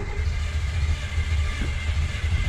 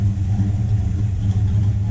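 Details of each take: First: Buick Skylark carbureted engine cranked after carburetor refit, fuel reaching carb but no accelerator pump shot: lumpy labouring chug that never catches, won't start; carb removed again to investigate pump linkage and needle. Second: Buick Skylark V8 after carburetor work with two-circuit gasket, idle just set, mixture screws about two turns out: deep steady even low rumble, no stumble or miss; running smoothly, some fuel leaks and rear float level still to sort.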